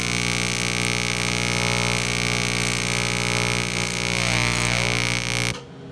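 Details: Miller Econotig TIG welder on AC high-frequency with cleaned aluminium (it welds steel fine in DC-): a loud, even buzzing arc with a sharp sizzle. No liquid puddle forms and the metal burns through or sizzles; the cause is unclear.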